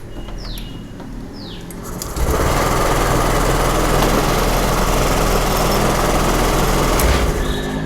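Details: Honda Activa 6G with a self-start problem, after fitting a new ACG coil assembly; quiet ticking, then the motor catches about two seconds in and settles into a steady, even idle with no misses, fixed.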